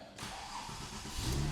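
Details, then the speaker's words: Porsche 996 Turbo (about 2002) with Tiptronic, start-up after the repair: quick crank, then it catches straight away and settles into a steady, even run; a clean, healthy start. "Hey, that's a good start."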